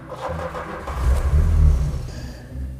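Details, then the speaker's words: 1988 VW Golf Cabrio GTI (Mk2) with fuel injection, crank-no-start: deep, uneven cranking with weak splutters that never catch. Only a dribble comes from the fuel line, so the fuel pump isn't delivering enough pressure. "I don't think we're getting any pressure through. Oh, dear. This thing should be firing fuel out of the garage door. The unimpressive dribble seems to point to a diagnosis. The fuel pump isn't kicking enough pressure out."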